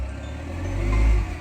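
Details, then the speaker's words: Mahindra Xylo diesel that cranked but wouldn't start for 3-4 months, after the injector circuit was repaired, in neutral: deep diesel note climbs smoothly under throttle and drops back cleanly with no stumble or misfire. Normal revving after repair. "வண்டி நல்லா rice ஆகுது. Injector சர்க்யூட்டை நம்ம வந்து root பண்ணியிருக்கோம்."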